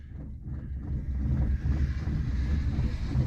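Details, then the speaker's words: 1978 Honda Civic, choke pulled, cold start after sitting a while: low, steady idle rumble with slight unevenness under wind; cold engine idling fine, though it later died. "you know just like that right and uh yeah know she sounds good and you know uh like a little cold just a little cold"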